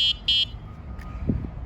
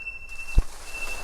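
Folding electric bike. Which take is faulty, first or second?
second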